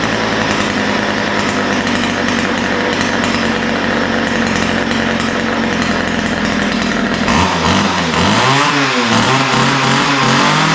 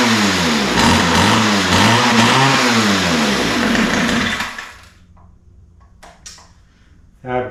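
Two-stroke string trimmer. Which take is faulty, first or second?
second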